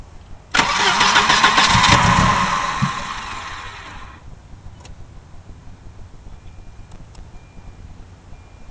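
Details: Volvo 240DL that fires about 4 times, runs rough for a few seconds, then dies after a head gasket job; fresh fuel didn't help. The crank sensor reluctor ring was bent, and it started right up once bent back.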